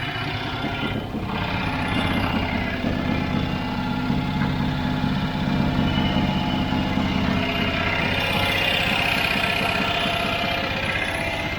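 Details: Barn-find bespoke three-wheeler with Citroen 2CV flat-twin engine, stored dry 25 years, running after revival: even, steady idle about four beats a second, no knocks or misses. Normal idle.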